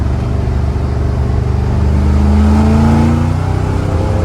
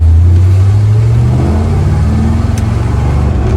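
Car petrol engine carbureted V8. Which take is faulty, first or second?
first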